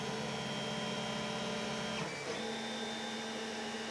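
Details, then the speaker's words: Stock Creality CR-10 3D printer, while printing: steady buzzing stepper tones jumping in pitch with moves over constant fan hiss; loud stepper motor vibration, getting louder at higher print speeds, before adding stepper dampeners and a Noctua fan. "so the printer should start any second now you can make quickly notice how loud this player really is"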